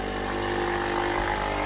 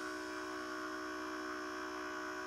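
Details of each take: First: Philips EP 2200 (EP 2000/3000 series) coffee machine after drive fault, reinitialized by removing the drive limit switch and cycling up and down: small motor whirs steady and even without stalling or clicking; brew unit drive turning normally. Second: Philips EP 2200 (EP 2000/3000 series) coffee machine with red warning triangle drive fault: steady small-motor hum runs, stops briefly, restarts reversing; brew group drive cycling through reset travel.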